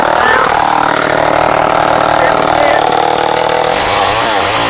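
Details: Vintage Sears chainsaw, 3.7 cu in, 18-inch bar, late 1960s/early 70s, converted from Barracuda to standard chain, with a jury-rigged air filter. A high, steady two-stroke buzz at full throttle sags slightly while cutting wood; the saw runs strong.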